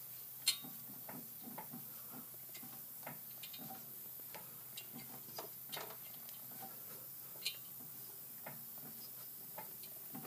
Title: I found my noise. Is this a bad wheel bearing. Listen for the metal on metal. Brakes removed.